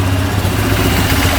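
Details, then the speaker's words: Mostly stock Honda quad, jump-started: fires right up into a strong, steady idle with an even low thump, no misfires or rattles. A fuel leak is still present. Normal idle. "oh it's fired right now all right that sounds pretty good"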